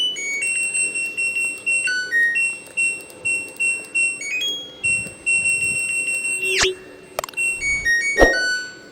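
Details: LG Direct Drive front-loading washer control module, hard to power on, woken by added modification button: bright electronic startup tune plays fully; normal power-on melody.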